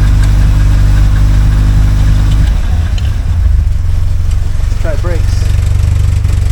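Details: 1976 Alfa Romeo Spider, revived after 24 years parked: deep lumpy idle turning into an uneven beat with slight stumbles; rough idle, mixture possibly off.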